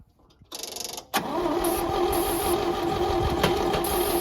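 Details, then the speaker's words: Old Champ forklift, unknown year, sat for years; no fuel yet, small leak; brief strong starter whir then steady churning about three turns a second that never catches; cranking, no start due to no fuel. "do all right so this old girl run once we get her some fuel"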